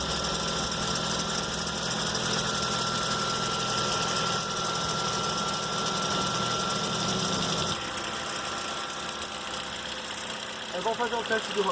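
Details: 2012 Ford Focus Duratec (145 hp, Bosch injection), first cold start of the day; customer complains of noise at cold start and under load; fast, uneven knocking about four per second at idle from the harmonic balancer pulley near the serpentine belt: harmonic balancer damper failure.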